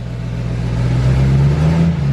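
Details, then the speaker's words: 2020 L5P Duramax diesel, cold, on high idle, just fitted with a Stealth 67 turbo meant for 2017–19 trucks, with many dash warnings. Revving gives only a deep rumble with no turbo hiss. Owner suspects the actuator isn't working. Finding: missing turbo spool sound. "Yeah. It's just rumble. The actuator's not working at all."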